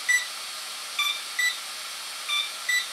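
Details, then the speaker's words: HobbyWing ESC with AR7200BX flybarless system during throttle calibration, BEC powering the unit, main pack plugged in: high, short uneven beeps over faint hiss; ESC error mode because no throttle signal is present. "nothing so right now it's in another error mode and what that is let me go ahead and unplug here what's happening right there is I have the B EC and everything activated"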